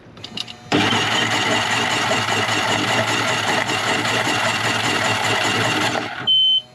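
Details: Center console boat engine after hydrolock, spark plugs removed to clear water, jump pack connected: a fast, even, whirring crank with no firing for about five seconds.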